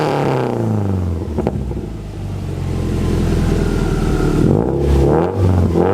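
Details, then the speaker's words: Subaru WRX after Invidia exhaust installation, engine revving: deep throaty exhaust rising and falling cleanly, no ticking or puffing at the gasketed joints; all gaskets checked, no exhaust leaks, normal exhaust note. "that's where the difference is so after checking all the gasket there were no leaks"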